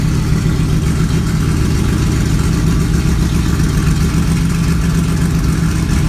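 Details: Kirkham Cobra KMP #174b cold start, fuel pump primed to about 5.5–6, out of gear: loud, lumpy but steady V8 burble at cold idle with no knocks or misfires; engine running well.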